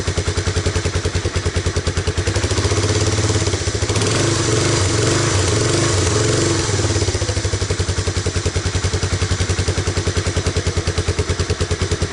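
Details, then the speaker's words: Honda Big Red ATC250ES single-cylinder ATV after no-start repair (brown sticky residue cleaned from carb and intake manifold, fresh stabilized gas with Sea Foam), choke on, idle set a little low: even low-idle thump, brief blip up and back, then settles into a steady, normal idle. "Might stall. I have the idle down a little bit, but that's really what you want out of Big Red, is to just idle along like that."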